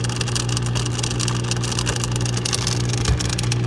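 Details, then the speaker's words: Dishwasher running: loud, constant rough grinding over a steady low hum that never lets up; owner suspects something stuck in the motor. Cause suspected, not confirmed. "So this is what it's doing, making all this grinding noise. Looks like something is stuck in the motor or something."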